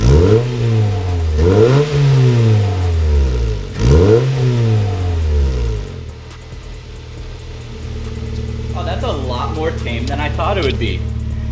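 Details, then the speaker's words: GD3 Honda Fit 1.5 liter with short ram intake and newly installed HKS Hi-Power muffler: two clean rev blips into steady deep mellow exhaust idle, not raspy as expected; healthy free revs. "I thought it was gonna be really raspy, but it actually has kind of a deeper tone to it. I'm a little surprised by this."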